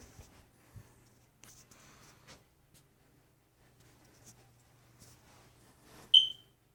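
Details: Hardwired smoke detector with battery backup door open, and battery smoke detector low-battery chirps: quiet room, then a single short, sharp high-pitched warning chirp near the end.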